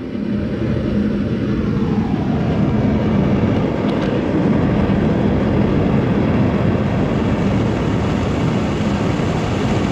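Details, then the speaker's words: Foundry furnace gas burner after cutting the overlong burner tube shorter (it caused pulsating and low heat) and fitting a better regulator, around 5 to 10 psi: smooth, even roar with no pulsing or sputtering; running steady. "okay i like that regulator that is way better than these ones and this worked way better cutting that off"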